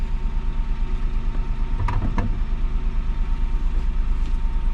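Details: 2007 Citroen C1 engine during a fuel sender replacement job: steady low idle at about three beats a second with a couple of brief clanks over the top; normal idle.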